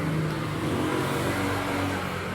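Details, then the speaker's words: Yamaha Nmax v2 scooter after replacing rear shock, tensioner, stator terminal wire and spark plug: smooth even hum, steady beat, ticking now gone. Normal running. "Wala na. Tahimik na. Wala nang lagitik."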